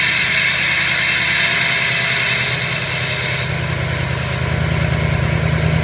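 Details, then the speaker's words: Ford 6.0 diesel idling during Ford IDS VCM II turbo vane test, heard at the exhaust as vanes sweep from closed to open: hiss and whistle shifting in pitch partway through; vanes moving freely, normal sweep. "so I'll run the test again and I'll go back to the exhaust and you can hear how the exhaust changes"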